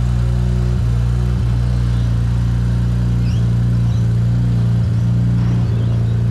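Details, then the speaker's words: BMW E93 335i N54 donor car with DCT, crash-damaged with smashed coolant lines, coolant dripping: steady low drone with even firing and a few light clicks, no knocks or grinding; nothing strange heard, slight N54 combustion smoke considered normal. Normal running. "no immediate worries and i didn't hear anything strange while it was running a little bit of n54 combustion smoke that's normal"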